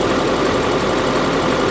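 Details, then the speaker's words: Chevy 2500 heavy duty diesel work truck at Copart, an older body style that is not lifted. It idles with a smooth, even low rumble and no knocks, ticks or misses, running healthy. "listen this thing PS like a kitten"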